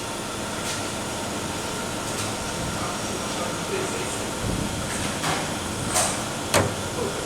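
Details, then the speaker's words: GM Cruze idling slightly fast, misfiring and shaking, with high fuel consumption: sharp irregular tec-tec clicks inside the fuel tank over the engine hum, louder with more throttle. "já vai começar a fazer barulho no tanque de novo escuta uns estalo dentro do tanque tec tec bastante barulho"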